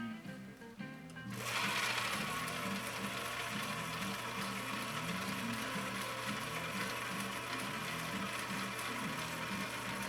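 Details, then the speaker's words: 1960 Viking Husqvarna CL-21A sewing machine, restored, in gear reduction at turned-down speed: even, steady chugging about four beats a second, no knocks or binding; same power, much slower speed, running healthy. "i want you to hear how this runs when it's got that gear reduction it's going to sound different it's going to sound like a horse that's harnessed back we're having the same power but we're slowing that speed down dramatically"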